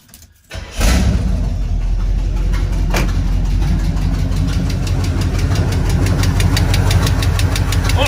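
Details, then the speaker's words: Squarebody Chevy C20 engine idling with valve cover off; light fast ticking clatter steady with idle, exhaust loud. One rocker arm not moving, another barely moving while clattering; owner will pull pushrods to check if bent. Valve train clatter. "here this rock arm isn't moving and this one's one that's that's clattering this guy's barely even moving so i think i got my answer"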